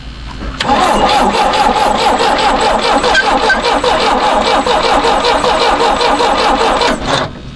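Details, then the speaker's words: 1975 Chevy Vega, sitting for years, no gas tank, temporary fuel supply: catches after short crank, uneven lumpy firing that never settles; rough start. "Start sound a little rough."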